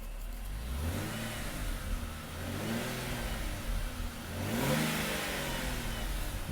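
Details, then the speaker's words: Ford Territory after cracked exhaust resonator was replaced with a straight-through pipe: revs rise and fall cleanly through several blips, even, smooth exhaust note with no rasp, rattle or drone. "sounds i wasn't expecting that it's very smooth so ultimately i'm very happy with that"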